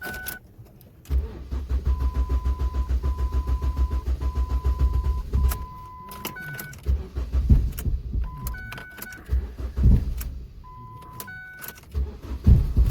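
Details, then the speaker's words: 1999–2007 Ford Focus engine cranking and settling into a deep, lumpy throb about three pulses per second with chimes over it. There is loud vibration from worn, broken engine mounts. "so it's a lot of vibration especially when you shave it's very loud"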